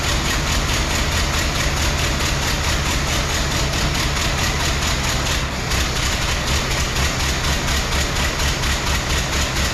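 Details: 1914 Ford Model T, hard to start after a car show: uneven, lumpy idle loping about twice a second, seemingly running on three cylinders; ignition and compression being investigated.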